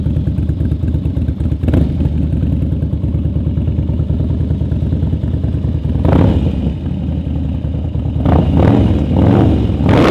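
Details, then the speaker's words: Harley-Davidson Twin Cam 88 revving after a Feuling cam chest install with ThunderMax tune, with the lifters pre-soaked in oil. Lumpy V-twin with a light top-end lifter rattle early on that settles as the lifters pump up; healthy, normal running. "filling that oil pump full of [ __ ] like lube and stuff it sounds good healthy"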